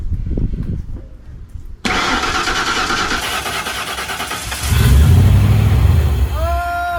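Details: 1968 Ford Mustang with a fuel-injected 5.0L V8 and 4R70W transmission swapped from a 1996 Explorer, first start after the swap, temporary intake. The starter cranks steadily, the engine catches and roars briefly, then dies instead of idling. Cause unconfirmed.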